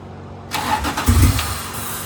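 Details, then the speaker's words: J35 RFR two-seat sandrail that wouldn't run, cranked with starting fluid sprayed into the open throttle. It catches on a burst of uneven firing, then fades without idling, showing a fuel delivery problem. "So now we just fixed the fuel delivery issue, figure out what's going on there, and this thing may run and drive."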